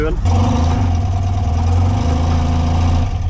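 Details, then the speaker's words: 35-year-old BMW boxer twin after repairs and preparation, started in neutral with the pull cord: a steady, low, even idle with no knocks or ticks. It sounds much better than before; oil temperature was 83° after a short test ride. "它运转了，乍一看，一切听起来都不错。说真的，听起来比以前好多了。"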